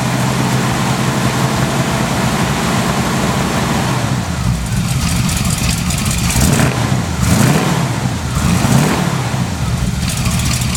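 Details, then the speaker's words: 1982 Chevy K30, 454 V8, 4-speed manual, cold evening, after cleaning pulleys and tightening belts: deep, slightly uneven rumble with throttle blips, no belt squeal; rough running likely choke-related. "alright no more belts wheel running a little rough and they run in a while so stuff needs to clear out"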